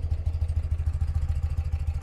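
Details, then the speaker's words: 1982 BMW R100RT boxer twin warmed a couple of minutes, choke off, microphone on person: even low thumping, every beat matched, no misses or knocks; quiet, smooth, healthy idle. "throttle response is great it idles super smooth you can see I'll twist the throttle a little bit for you and it just hums right along"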